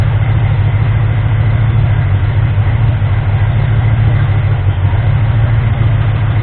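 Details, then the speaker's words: Ford 351M V8, misfire fixed, compression later poor, harmonic balancer timing ring spun: deep, slightly uneven lumpy idle; idle improved after moving distributor, timing suspected badly off; rough idle. "I didn't move the distributor a little bit and the idol definitely improved so the timing is probably awful"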